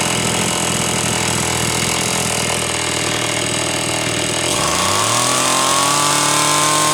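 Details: Homelite Super XL chainsaw test run after starter spring repair and a bad new spark plug replaced; it was previously running lean: steady two-stroke buzz climbing smoothly to a sustained high rev, slightly rich on the high side on purpose.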